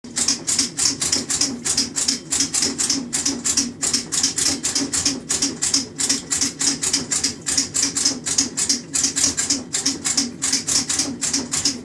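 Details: KitchenAid top-load washer makes sharp, hissy squeaks and clicks repeating quickly over a low steady hum during agitation, which is not normal.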